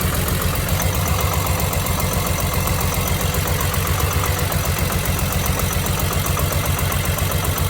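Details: BMW E46 M3 petrol engine idling rough with a loose, irregular knock pulsing about four times a second; also low power at low rpm; cause unknown.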